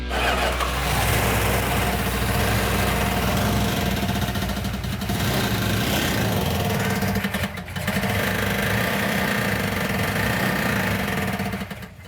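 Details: 1970 Plymouth Cuda 340 automatic, starting: cranks and catches into loud, lumpy, uneven idle with stumbling revs; missing on a couple of cylinders from low compression.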